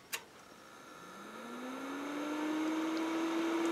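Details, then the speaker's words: Kenwood TS-950S HF transceiver at switch-off: a click, then the fan hum climbs smoothly over two seconds and holds; normal, the fan run-up discharges the main capacitors. "As I went through the manual, I always wondered why when I shut this thing off, the fan would run and then shut down. We'll come to uh find out that's how they discharge the main caps here. When you turn it off, you'll hear the fan run"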